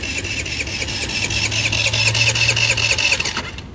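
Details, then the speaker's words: Tao Tao Pony ATM 50 scooter, 50cc GY6 139QMB engine, died on a wet day on the roadside: fast steady starter whir with high-pitched whine, about two turns a second, not even a puff; crank no start, owner suspects a shorted CDI. "like it's not even trying not even a puff out of it so i don't know if i shorted out the cdi or what i did"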